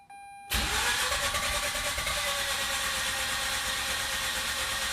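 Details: 2004 Mazda RX-8 after deflood procedure: steady fast cranking for several seconds that never catches; cranks but will not start.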